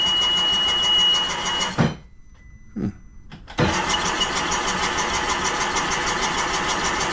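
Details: 2011 Sea-Doo RXT 260 Rotax engine with 700+ hours, rebuilt, with a newly installed starter cranking and injectors disconnected: an even, steady whir with short pauses, spinning freely with no grinding or slipping; normal starter cranking.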